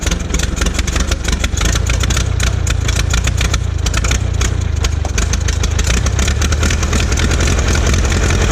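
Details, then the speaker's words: Old Massey Harris petrol tractor, sat 4–5 years, after distributor work: it catches and settles into a steady, slightly lumpy low beat. Normal running after first start in years. "so i don't know what i need to give a spark but i don't care and there it goes see if it'll move"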